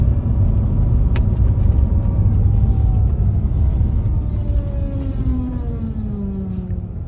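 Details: Whine on acceleration and deceleration, like an angle grinder, can be louder than exhaust and noticeable outside and in; heavy road rumble from a moving car with faint tonal whines sliding in pitch as speed changes.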